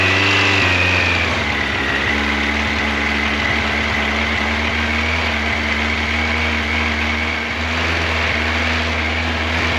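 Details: 1986 Yamaha FJ1200 four-cylinder with carburetors, first start in years, cold with choke full on. Steady, even idle with a smooth exhaust note and no knocks or rattles. Engine sounds healthy.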